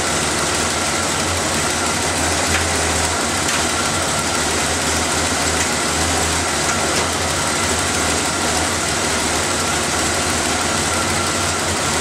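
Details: Engine started after the vacuum lines, air filter and cover were refitted, to listen for hissing air leaks; steady even idle with no misses, ticks or hissing. Normal, settled idle.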